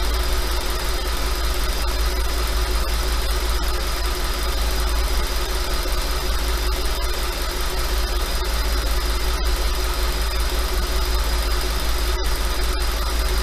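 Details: 5.2 FSI engine at slightly raised idle: fast, fairly even light clatter over the low drone; owner asks if normal, suspects piston slap, unconfirmed.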